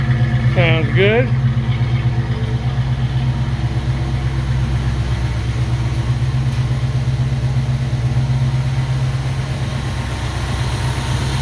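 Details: 1969 Ford Mustang Mach 1 V8 after fuel pump replacement, no leaks: deep even burble at steady idle lope, no miss, tick or stumble; healthy normal idle.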